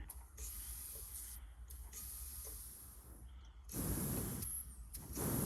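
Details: AIDA-style DayLite kerosene lantern after final fixes, pumped halfway with no fuel inside; soft hiss of air rushing from the valve in short bursts over quiet background, a normal pressure release, not a leak.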